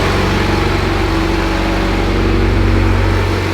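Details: Stock Mitsubishi Evo X at first start, after fixing power steering and fuel leaks, with some oil burning off from power steering spray: steady, even idle with a smooth low hum and no knocks or misses. It is a normal idle.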